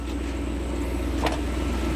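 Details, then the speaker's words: Warm 1993 Lexus SC400 petrol engine idling steadily at just over 1000 rpm after the idle air control valve was replaced to fix a rough idle: even, smooth, low hum with no hunting and one faint tick; normal idle. "idling smooth very smooth very smooth wow very smooth all right so i wanted to turn the car off just in case you guys weren't able to hear me night and day difference very smooth idle"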